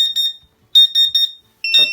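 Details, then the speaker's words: Sharp high-pitched beeps in quick bursts of three or four from a CW-5000 laser cutter water chiller: the flow alarm sounds because the pump motor, which was shorting the 24 V circuit, is unplugged. "so simply by unplugging the motor now when i turn it on it will still do an alarm"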